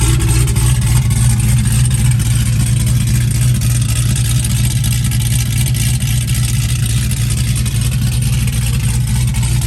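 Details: Fresh V8 build with dual throttle body, intake and wiring just installed, first fire-up: deep even rumble settling into steady idle, no knocks, ticks or misses; healthy normal idle.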